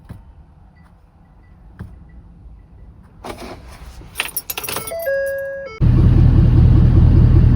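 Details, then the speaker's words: 2011 Ford 6.7 Powerstroke after replacing injector number 4 (intermittent contribution imbalance code) and programming the new injector code: keys rattle, door chime, diesel fires and settles into steady idle with no injector tick; normal idle. "She's purring again."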